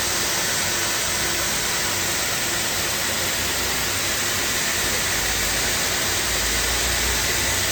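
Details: Two-head abrasive belt grinder finishing a 14 ft, 6-inch aluminum beam flange, P120 then P180 belts: steady, even rushing hiss with no thumping or chatter; grinder running normally.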